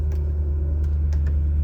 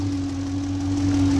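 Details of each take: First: 2007 Ford Expedition 5.4 V8 after an alternator replacement; deep steady idle that settles smoothly with no battery light, and the earlier grinding from the front is gone, though a little ticking remains. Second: 2007 Ford Expedition 5.4 V8, cold weather: steady high whine over the idle beside a separate ticking, holding even pitch; owner first thought power steering pump, finding is worn alternator bearing.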